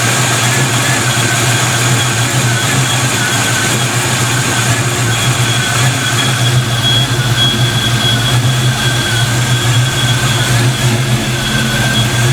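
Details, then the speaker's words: Black Stang (Mustang) first fire with 24 lb injectors and 73 mm mass air meter; fuel pressure low at startup; rockers shimmed, idling much better; even, steady low drone with no stumble or misfire: normal idle. "car's idling a lot better man i think shimming those rockers worked out pretty good"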